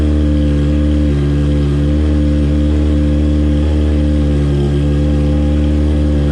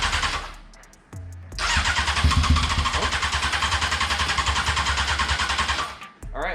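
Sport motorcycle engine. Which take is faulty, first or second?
second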